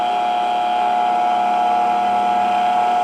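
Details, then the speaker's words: Delta 6-inch variable-speed bench grinder, new after assembly, run at the lowest speed setting: smooth, steady motor hum with a clean high tone and a faint vibration underneath; running normally and quietly. "Okay, sounds good. Nice and quiet. Got a little bit of vibration I'm hearing."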